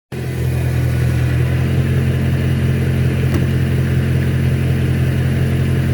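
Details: 2011 BMW E92 M3, 66k miles, unmodified: steady low-rpm drone with a light fast tick, only when warm at 1700-2500 rpm, also at 40 mph in 7th. Owner feared rod bearings; the transmission heat shield was touching the exhaust and removing it stopped the noise.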